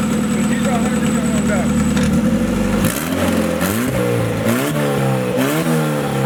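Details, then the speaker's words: Widow's blown engine, sat outside in rain and snow, starting and running rough with a chuffing pulse, pitch rising and falling with throttle, smoking; heavy blow-by; a spark plug wire pops up, plug suspected loose. "by the way it sounds when you start it she sounds hurt she's hurting so you see how it's like pumping out this smoke"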